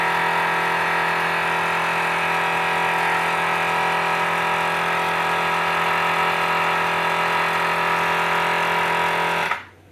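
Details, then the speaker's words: Forward FW 361+ hot plate separation machine pump droning loudly, around 100 decibels, with a high whine on top until cut off; excessively noisy pump before disassembly and repair. "so imagine trying to work with this machine when it's making the sound of roughly 100 decibels subway train or food blender that is very loud my friends"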